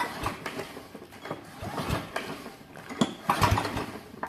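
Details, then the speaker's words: Old power washer engine, being revived, pulled over by recoil cord before first start attempt; slow even whooshing pulses with firm resistance each stroke; compression sounds healthy. "sounds pretty good yeah sounds all right"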